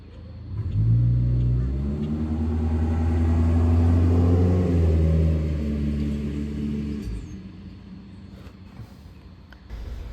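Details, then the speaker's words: VW Tiguan, after head port cleaning, new injectors and water pump, EPC light: engine revs and settles with lumpy shaking beat, running on three cylinders, cylinder 1 misfire codes; bad injector or loose injector connector suspected. "All right, so we are measuring the faults here, and cylinder number 1 is continually misfiring."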